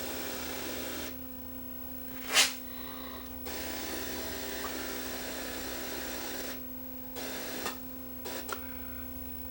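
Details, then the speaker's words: Sony EVS7000 audio with steady hiss over a low mains hum and crackling bursts cutting in and out. The cause is a shorted or leaky 10 µF tantalum capacitor in the audio circuit. "there's where our problem is right there you see they've gone shorted or leaky watch this tada capacitor little 10 micro farad cap"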